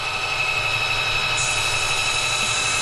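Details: Sunfizz 12V 60 L/h boat watermaker, nearly 50 hours of use, just rinsed, pressure slowly raised to purge bubbles. A steady high-pitched motor whine with an even pump pulse about four times a second, no surging or knocking. Pump running normally.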